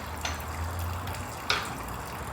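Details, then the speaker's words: High-mileage Oldsmobile van with 3400 engine, stethoscope loud at alternator on belt drive: steady trickle and splash of water under a low hum is just AC condensate pouring from the drain, nothing actually leaking. "I've got that AC drain over here pouring out whatever condensate it gathered that's why you hear the the leaking sound there's nothing on the van that's leaking right now"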